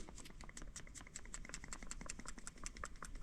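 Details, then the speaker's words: Loose heavy part inside a contactor without an economizer, removed from a car and being replaced: quick, loose clicking about five times a second as the unit is shaken. "yeah there's something in there jiggling around I don't know if it's supposed to jiggle but we're just going to replace it"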